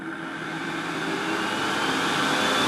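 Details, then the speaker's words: KAM KFHM 1000 fog and haze machine, fan speed adjusted before floor test: loud, steady airy rush with faint hum swelling as fan comes up to speed; quite noisy but absolutely fine, normal fan running. "that's the fan speed it's quite noisy but you can see it floating in the back there but it's absolutely fine"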